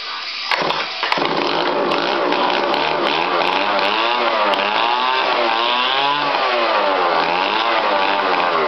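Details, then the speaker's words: 49cc Chinese two-stroke engine on a funnel tank: raspy buzz that surges and sags, revs hunting; runs very rich at idle and cannot hold an idle, cause suspected, not confirmed. "It has no idle, of course, because they're shit."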